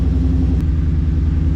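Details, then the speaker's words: 2016 Ford Mustang GT V8 with full exhaust and headers, just after installing cats: deep, loud idle with a choppy puffing pulse from an exhaust leak at a punctured muffler, slightly less raspy. "I still hear of the obvious exhaust leak which is that punctured Muffler"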